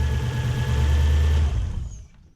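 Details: BMW E36 coupe with a swapped Gen2 Toyota 1UZ-FE V8: steady, even low rumble with no knocks or misses before it is shut off. A clean, normal idle.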